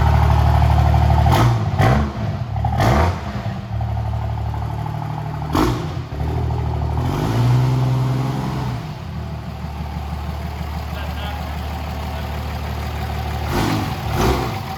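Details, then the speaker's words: 1999 Dodge Ram with a swapped 2003 common-rail Cummins diesel, standalone harness and Smarty level nine flash, first start: the engine catches, revs cleanly and settles into a steady, even idle with no knocks or misses. "all right so there you guys have it the truck does run on its own"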